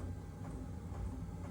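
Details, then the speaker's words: Vevor portable diesel heater, model S590136S1, at start-up after priming, at 14°C and 1 km elevation. Quiet steady low hum with a faint, even fuel-pump tick about twice a second, a normal fuel pump sound. "That's definitely quiet. You can hear the fuel pump, but it's quiet."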